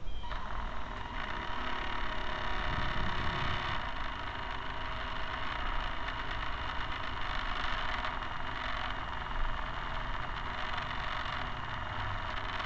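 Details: Camera barge first test run with a two-axis gimbal on top. A steady low drone with a rough rattling clatter over the motor whine comes from the dog-bone motor-shaft couplers; flexible hose couplers are planned to cut the noise.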